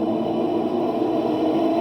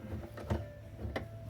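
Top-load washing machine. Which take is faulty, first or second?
first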